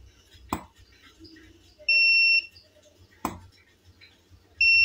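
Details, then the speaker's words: Tronic Alfa studio monoblock flash (800 W; listed as U2 Alfa 1000), after repair of a botched earlier service that left power calibration erratic and output dropping; tested at largest power with standard reflector and LED modeling lamp: two sharp pops, each followed by a clean high ready beep. Fires normally. "tembakannya mantap panas begitu ya luar biasa nih teman-teman"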